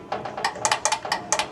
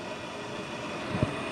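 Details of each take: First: Bryant two-stage gas furnace, no heat, house at 54°F: control board relay clicks irregularly when thermostat calls but draft inducer motor never starts; motor and neutral tested good, failed control board relay. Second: Bryant two-stage gas furnace with no heat, house at 54°F; draft inducer motor powered directly with 120 volts on its low-speed lead gives a steady, even whir with one brief thump, motor fine, so the control board needs replacing.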